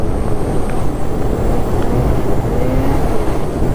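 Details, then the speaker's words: Gen 5 Ski-Doo snowmobile at high rpm, around 8100, on fresh groomed hard-pack trail at 12°; a steady, strong drone with no stumbling. It now runs well after clutching changes and a return to the stock muffler. "yeah this runs really good now the clutching and going back to the stock Muffler made all the difference in the world"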